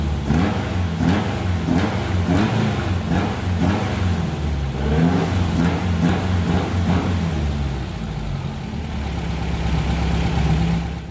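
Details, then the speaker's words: VW Beetle (Fusca) with four TBIs after the intake manifold air-leak repair, vacuum equalised across all four throttles with simultaneous linkage actuation: steady low rumble settling into an even idle with no hunting or stumble; normal idle. "Feita essa verificação, eu deixei equalizado as 4 bocas ali com acionamento simultâneo entre elas. Tudo estabilizado então."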